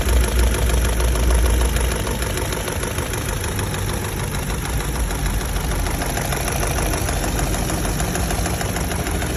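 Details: Chevrolet Lacetti SE / Cruze petrol engine, warm after 30 minutes running, at idle: a steady ticking knock about three beats a second through the low engine drone.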